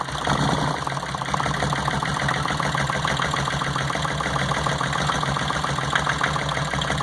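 Idle with an uneven, stumbling beat and irregular dips in the exhaust pulse, the kind of shake a cylinder missing at idle gives.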